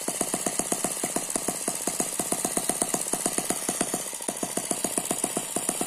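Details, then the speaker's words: Eachine ET9 (M15) mini gasoline engine, single cylinder with twin spinning counterbalances, on a tarpaulin: crisp, even rapid popping, no misses, slight gear noise like a turbo, very smooth: normal running. "very smooth so that's a very smooth running engine it does not dance around the main vibration here is because it's on top of this this tarpaulin you can hear that gear noise it sounds a little bit like a turbo"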